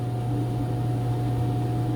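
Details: Commercial washer running a Brights cycle with water supply off after door lock: even low hum with a faint steady tone, no knocks, scraping or surging; running normally.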